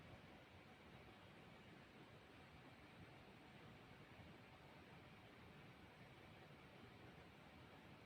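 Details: Bahleang guitar-pedal power adaptor powering effect through amplifier, 30-second decibel test: only faint steady hiss, no hum or buzz; adaptor runs clean and quiet.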